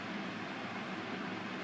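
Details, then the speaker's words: Corsair Hydro H100 CPU liquid cooler with stock fans in Cooler Master HAF X case under full stress test, CPU around 63–65 °C: steady airy whoosh, fans at full speed getting louder, fan noise at full speed under load. "it went to 65 and now the fans summit is so it's quite loud it's got even louder now"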